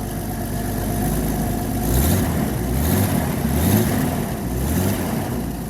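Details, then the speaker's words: Comanche truck starting after pinched wires behind the bumper were found: fuel pump heard, one failed try, then it fires and idles steadily with a low even rumble and no knocks or misses. "come on baby come on oh she tried there we go he's a runner"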